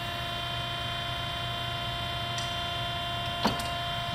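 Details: 1963 Heald 273-A 5 HP universal internal grinder: steady, even motor hum with constant tones and no grinding or knocking; bearings sound smooth and healthy.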